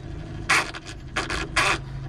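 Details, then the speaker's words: Toshiba 9 kg washing machine that won't spin dry, noisy underneath: harsh rasping grind about every half second over a low motor hum; drive motor is fine but its two gears are stripped and slip, to be replaced. "หมุนดึงไม่ได้ครับอ่าเกิดจากเฟืองตัวเดินมันรู้นะครับแต่ตัวมอเตอร์เดินไม่ไม่ไม่เสียนะตัวมอเตอร์จริงๆมันคือไม่เสียนะครับแต่ว่าตัวเฟืองจะเชื่อมันรูปนะครับมันก็จะดึงไม่ได้นะครับ"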